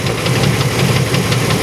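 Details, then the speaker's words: 1994 Chevrolet Astro van, idling: sharp even knock about five times a second, same with belt on or off, so internal; cause unconfirmed; won't drive it beyond the property. "I don't want to drive it with this noise like this I'll drive it around the property here around the farm"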